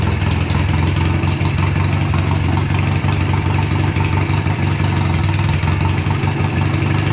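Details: BSA twin-cylinder home-built chopper, ridden half a mile in rain on its first ride in years. A deep, lumpy, ragged beat under load with one cylinder dropping out: a misfire. Owner suspects carburetors or ignition; it runs poorly but never dies completely.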